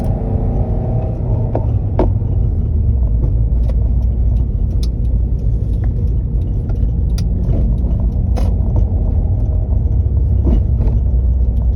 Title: Clutching clunking sound… 🥴I’ve replace the clutch kit and bearing and clutch fork the release arm.